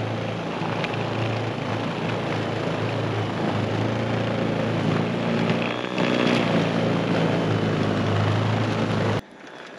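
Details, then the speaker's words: Greenworks 80V battery-powered snowblower in a nonstop battery-runtime test through a lot of powder: steady low electric hum with churning snow, holding speed evenly under continuous load, then stopping cleanly; normal running under load. "And we've got a lot of powder right now, but it did really, really good."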